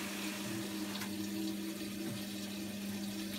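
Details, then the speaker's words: Bosch WOK2001 top-loading washing machine on a short wash (unit with a burnt-trace PCB fault) filling: steady rush of water with a low even hum from the valve, no knocking or buzzing; normal water fill. "so it sounds like it's moving inside got water coming in"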